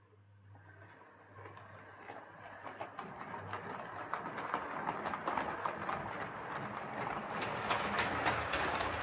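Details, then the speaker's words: Hornby R2553 Princess Coronation "City of Bristol" model locomotive pulling six coaches: loud fast clicking 3–4 per second on curves with faint scraping under motor hum; suspected tender wiper pickups or mechanism catching, no traction issue. "So as you could hear there, it's making quite a loud clicking sound going around the curves. It's also making a bit of a scraping sound. I think that's the wiper pickups, possibly on the tender."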